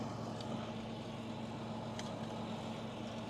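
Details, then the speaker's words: John Deere 8530 diesel idling while calibrating, after fuel filters were changed, the primary likely clogged with dirt: steady, even low rumble with no knocks or misses. Sounds fine; normal idle. "yeah the tractor sounds fine so if the tractor sounds fine that's it that's the rig right there"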